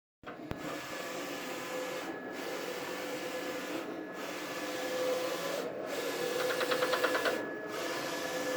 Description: The noise happens when the print carriage moves right towards the control panel. Print quality is great still.